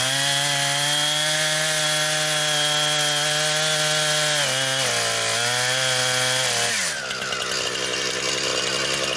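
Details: Brand-new Husqvarna 460 Rancher chainsaw, first run, cutting wood. Strong, steady high buzz dips under load as the bar bites, then recovers cleanly. Healthy, smooth-running saw cutting well.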